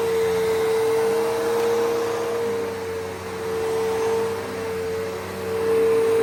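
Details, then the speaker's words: Bissell PowerForce 3522-1 upright vacuum, motor lubricated after squeaking, vacuuming carpet; steady even high hum, no squeal or rattle; normal motor running after repair. "this motor was squeaking, so I lubricated it. It should be fine now."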